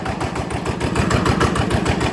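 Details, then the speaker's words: Yanmar TF85 LM single-cylinder diesel after repair for stiff turning and knocking; even regular thudding about seven beats a second, no knocks or misses, timing gears very quiet; normal idle. "แเืองนี่ถือว่าเงียบมากใช้ได้นะครับเสียงเืองนะครับ"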